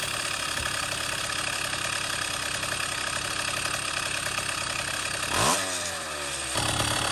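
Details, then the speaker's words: 2-stroke motorized bicycle engine after carburetor adjustment: steady buzzy idle, one quick throttle blip that winds up and drops straight back to an even idle, the goal of carb tuning. "so here's an example here how I rolled the throttle back it and then it dropped back down to a nice idle that's the goal"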